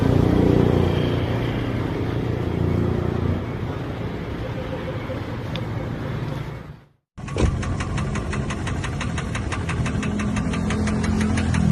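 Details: Toyota Vios petrol engine running: a steady, deep knock under the idle; the connecting rod bearing is shown worn and damaged.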